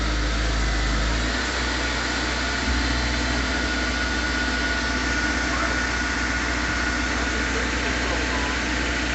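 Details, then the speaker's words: 2005 Honda S2000 with the F22C engine and 21,000 miles, first start after sitting a year: steady, even idle with a smooth low hum and no knocks or misses; runs like it sat only a week. "like it's only been sitting for like a week the mighty f22c dig it"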